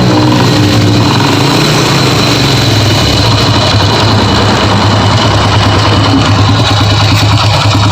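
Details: Honda Grand motorcycle before repair: a loud, harsh mechanical rattle inside the engine at steady idle, easily mistaken for rod knock; the customer brought replacement parts.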